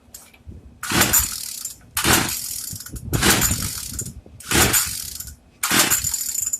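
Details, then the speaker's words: Craftsman two-stroke weedeater, once run a full tank without oil: five ratcheting pull-starts about a second apart, none catching; an internal piece broke off after running, so the engine is dead. "But I started the motor, and when I got it running, that piece right there broke off. So that's why it was so hard to start. So this is dead."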